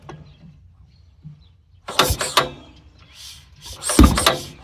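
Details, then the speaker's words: Hand-crank Lincoln gas welder believed to be from the 1950s, Wisconsin twin-cylinder engine (about 3.5 in bore), said to have sat about ten years, being hand-cranked before fuel work: scraping cranking strokes with one or two sharp pops but no sustained firing; backfire while cranking, shows some compression. "All right, let's see if it'll make a little noise for us. Here goes nothing. Oh, it popped."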